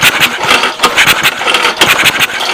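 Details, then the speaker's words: 1989 3HP Briggs & Stratton, ex-orchard sprayer engine that wouldn't start, pulled with starting fluid: quick, uneven chuffing puffs with little resistance, air belching back out the carburetor; low compression, owner suspects stuck intake valve. "I think you guys could see that it's actually belching out the carburetor and if you put your hand over you can feel wind coming out of the carburetor so it it has no compression most likely due to the intake valve being stuck"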